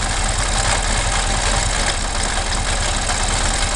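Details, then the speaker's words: Ural M67 motorcycle engine: rough clattery idle with a dull low knock through the exhaust beat; owner suspects pistons, plans to open the engine to inspect. "Заводим. Отлично слышно, что звучит какая-то фигня, скорее всего поршня."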